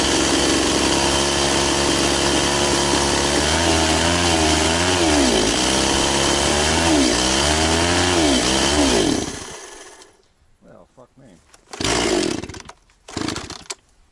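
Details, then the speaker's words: Very high-hour Echo CS-670 chainsaw, cutting a tree chunk with a chain a bit slower than full chisel: high steady scream drops in pitch as the chain bites, then recovers cleanly; cuts well. "does pretty good and like I said a little bit slower but it doesn't seem to stretch the chain"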